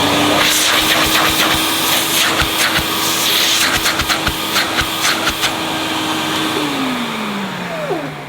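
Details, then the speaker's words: 1988 Hoover Compact Electronic S3462 cylinder vacuum, switched on at full power with suction gauge fitted and burning smell noted: steady high squeaky whine over motor rush, sagging as it winds down; squeal source unconfirmed. "there's a funny squeaky noise did you hear that"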